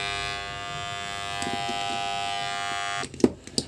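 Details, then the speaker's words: WAHL PCMC Pet Clipper, complaint does not cut: steady buzzing hum with no cutting chatter, then cuts off with a few clicks; motor energized but blades don't move; suspected electromagnetic coil/lever amplitude adjustment issue, not confirmed. "There is some kind of weak vibration"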